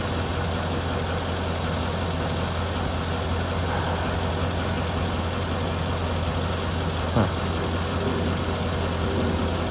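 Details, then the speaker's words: Mercedes CLK55 at idle while stationary: low steady hum with an occasional sharp clunk from the rear, thought to come from the exhaust; the clunk is not heard once the car is moving. "It only does it at idle when the car's not moving. When the car is moving, you don't hear it at all."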